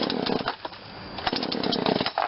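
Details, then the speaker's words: Poulan Wild Thing 40cc two-stroke chainsaw after corroded carburettor replaced with aftermarket carb and tuned a quarter turn, running without choke; buzzes and revs cleanly, idling slightly fast but not enough to need chain brake; normal running. "Yeah, it's fine. Running a little faster, but not too fast that the chain brake needs to be put on."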